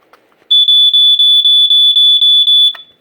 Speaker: see see that's the problem with this type of test button you can kind of hear it just kind of weak there we go that's the pitch I like